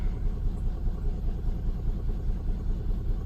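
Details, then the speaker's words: Nissan Skyline R34, a 25-year-old car, on its first start after a tune-up with new spark plugs and cleaned ignition coils: a low, uneven, pulsing idle at about one and a half lumps a second. The check engine light is still on, and the owner suspects a wobbly pulley. "It's still running a little rough. You can see it's a little wobbly right here, so I think it's one of the pulleys."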